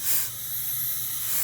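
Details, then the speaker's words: 2008 Nissan Altima JF011E CVT on the bench during teardown, air check on the primary variator piston: a steady sharp hiss of air escaping from underneath shows a leaking seal; the secondary variator also leaks. "And you can hear it, it's leaking from underneath, okay? So this definitely is a leak here, all right?"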